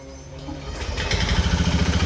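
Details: Honda Scoopy FI scooter revving with a harsh clattering rattle on every firing beat; piston and cylinder worn from running out of engine oil, oil found wet around the air filter box.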